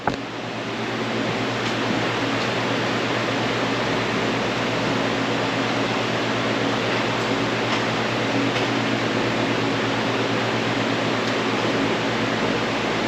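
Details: Modine shop unit heater after repair, pilot lit, thermostat at 90: steady even rush of blower air with low constant hum, no rattles or surging; heater fires and runs normally.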